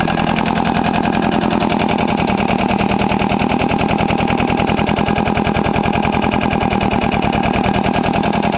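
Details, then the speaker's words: Case 360 diesel trencher, auction buy: heavy uneven diesel chugging about three thumps a second, lopsided beat from firing on only one cylinder due to a bad valve; head must come off for a valve job. "bad valve, so it only wants to start on one cylinder."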